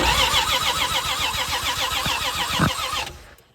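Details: 1978 Plymouth Volare wagon that sat in a junkyard for 4 years, after a bad ground in the ignition wiring was fixed: steady, even starter cranking at about 3.5 turns per second with no firing.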